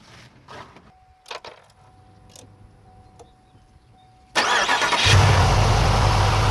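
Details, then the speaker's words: Cold first start of the GM LS4 V8 in a Pontiac Grand Prix GXP, just after new spark plugs, wires and a refitted coil pack: a few clicks, then it fires at once into a steady, even idle. Occasional cold misses are normal. "seems to be running okay. As usual on the first startup when the motor's cold, and this motor was cold when I did this, you're gonna get a miss here and there, but that's normal."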